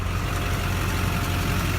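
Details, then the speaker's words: 2001 lowered Duramax diesel truck idles with an even, low clatter and a faint compressor hum, with no misses or knocks. The exhaust likely has a muffler; the truck runs well. "Kind of hear the compressor going. Good running truck. Never had any issues with this truck, never once."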